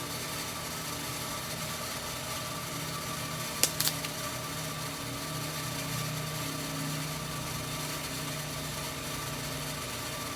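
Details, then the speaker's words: Well jet pump refilling a new ~120-gallon tank after fixing a waterlogged well, expected to climb back to prior pressure and cut off: steady, even motor hum with faint high tone, no knocking or surging, running normally. "it should go back up to about where it was that before and it should cut off so we'll give it a minute"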